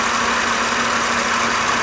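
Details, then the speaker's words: Auction Mercedes at idle, engine sounds too loud: loud, busy mechanical clatter and hiss, far noisier than it should be; source not pinned down. "but I definitely hear something going on under the hood here that sounds way too loud you tell me if I'm wrong"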